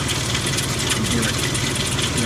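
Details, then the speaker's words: 2002 Ford Explorer 4.0 SOHC V6 with 220,920 miles idling: busy metallic rattle over the low hum from worn, slack timing chains slapping their guides, heard before timing chain replacement. "So as you can hear, the chain starting to rattle."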